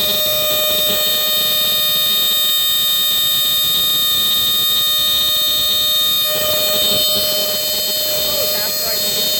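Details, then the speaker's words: Entronic Vigilante II ES-7 smoke detector, 9-volt retail model from 1976–1978 with an Edwards horn, sounding with its test button held. A shrill, steady high-pitched horn blares continuously; the sounder works normally. "Okay, and that's a high pitch. That's pretty high pitched."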